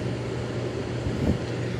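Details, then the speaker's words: Circa-1970 Kelvinator Masterpiece 12,800 BTU window air conditioner running seconds after waking from about fifteen years unused, blowing near-freezing air. Steady low hum under an even air whoosh, no knocks or rattles, somewhat loud. Normal running. "decade and a half and it still runs I mean Merry Christmas that's awesome yeah there's not the quietest that's what it is it's pumping out air that's close to freezing it's been running for five seconds"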